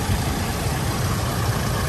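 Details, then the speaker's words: 1985 Oldsmobile Cutlass Supreme V8 idling after new alternator and A/C compressor belts: low, steady, even rumble, no belt flap or squeal; old compressor belt had been flapping, now running good and smooth. "Got the new belts back on, baby. Uh-huh. That compressor belt ain't flapping like it was. Running good and"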